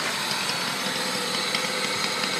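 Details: Honda Civic D16Z6 with a freshly replaced head, valves adjusted and timing belt checked correct. Light, quick metallic tick at idle that seems to come from cylinder 4 and quiets with its plug or injector removed; faster at high rpm, absent when cruising; source unknown.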